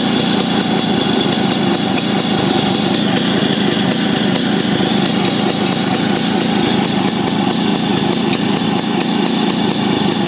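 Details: Yamaha RX100 two-stroke under restoration idling steadily with a fine, fast rattle over the exhaust note; unknown noise, source unclear.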